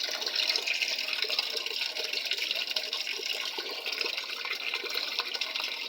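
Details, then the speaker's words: Panasonic 7 kg top-load automatic washer after control board repair, set to middle water level: steady, even hiss of water pouring into the tub, no knocking or humming; inlet fills normally. "Yan, medyo mataas lang ng konti yung tubig niya. Pero titigil na yan kapag naabot na yung water level na middle o medium."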